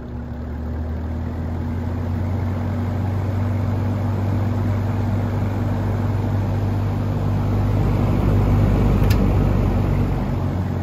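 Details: GE box fan motor after repair of a winding broken in a drop (soldered, heat-shrunk, windings coated in liquid electrical tape), blade fitted, on high: steady low hum with constant blade whir, no rubbing or ticking; normal running.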